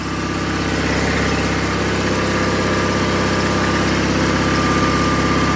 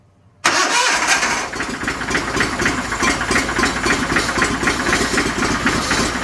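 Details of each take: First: 49-year-old John Deere 318 garden tractor, after engine repair, held at high revs: smooth, even drone, no misses or knocks; now charging, charge light out, about 14.2 volts, running properly. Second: 49-year-old John Deere 318 garden tractor kept running with fuel from a squirt bottle: catches abruptly, runs rough, surging and stumbling, starved of fuel until the lines prime and gas reaches the fuel filter.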